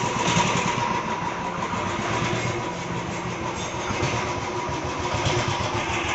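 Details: Royal Enfield UCE Electra engine before dismantling: rough, clattery running with uneven mechanical rattle over exhaust drone; piston slap, play found between block and piston, very weak oil pressure at rocker.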